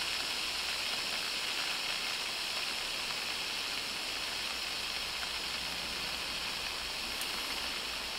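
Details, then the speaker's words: Daiwa 7HT ST baitcasting reel after strip-down, stainless main gear and pinion support upgrade, spool tension set: smooth steady high whir with no grinding, 1 minute 29 seconds free spin with magnetic brake off; normal. "Then that is 1 minute 29 seconds with the mag off."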